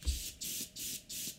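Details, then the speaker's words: Airbrush unused for weeks, freshly cleaned: the spray hiss cuts in and out about three times a second with popping between bursts. The air valve underneath has worked loose and isn't sealing; tightening it fixes it. "hear about clicking but popping sounds what that is is this under here is not screwed in properly so this part here this one has become loose"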